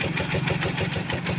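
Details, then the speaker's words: Rusi Macho 150 motorcycle after DIY tune-up and oil change: even, quick single-cylinder idle with no tick or rattle; previous ticking and noise gone, quiet and smooth. "Gaya niya, no? Tahimik na. Wala na kaingay-ingay. Wala na ilagitik."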